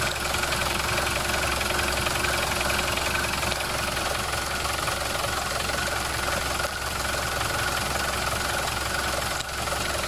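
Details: Mercedes diesel after a repair, microphone held near the engine: steady idle with an uneven knock about three a second; source unclear, possibly flywheel, and it comes and goes.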